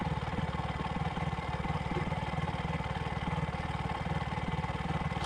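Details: Bajaj single after carbon deposit cleaning and valve clearance set, previously hard starting and misfiring: quiet, even putter at about twelve beats a second, no stumbles or misfires; normal idle.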